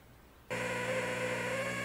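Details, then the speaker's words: Polaroid FLM3732 37-inch LCD TV switching on into a steady, harsh high-pitched buzz and whine that can last 10–15 minutes; caused by two overheated, bulging 10V 1000µF power-board capacitors, replaceable with 16V 1000µF. "as soon as you turn it on just all you can hear is like a high pitch sound"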